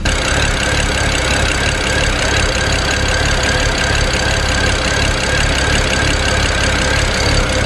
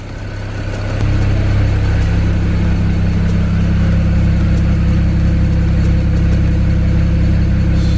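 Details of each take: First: 2008 BMW 335i N54 twin-turbo inline-six heard at the rear: choppy, uneven idle with stumbles and rpm hunting. It is running rich with black soot on the ground from a failed bank 2 sensor 1 upstream oxygen sensor. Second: 2008 BMW 335i N54 twin-turbo inline-six heard at the rear: settles quickly into an even, smooth low idle with no stumble, misfire or smoke; a normal idle.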